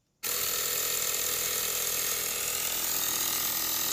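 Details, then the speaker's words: K2 jump starter's built-in air compressor inflating a tire from 5 to a 40 PSI auto-stop, about 14 PSI after 5 minutes, 15-minute run limit: steady high, buzzy rattle at even pitch. Normal running. "Now it should automatically stop when it hits 40 pounds of pressure. And we'll see how long it takes."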